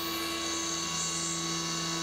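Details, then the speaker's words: CNC mill, 3/16 inch end mill full-slotting the AR15 gas block bottom side; steady, even spindle whine with a clean cutting hiss and no rattle or squeal, a smooth chatter-free full-width slot. "which i'm always apprehensive about doing a full slot but man they almost seem to sound better when you're doing a full slot"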